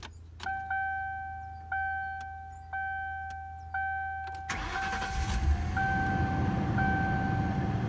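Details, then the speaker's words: 1997 Ford Crown Victoria P71 with V8, just bought from an elderly couple, starting up: a dash chime repeats about once a second, then the engine catches at once and settles into a steady, even idle; it purrs and runs perfectly. "Listen to that thing purr. It runs perfect."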